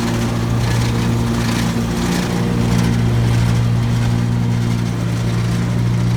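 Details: New 2017 Gravely ZT HD 52-inch mower, PTO engaged, steady speed with a loose, uneven deck rattle present since new; owner suspects the left-side deck belt, quieter when that belt's tension is increased; unconfirmed.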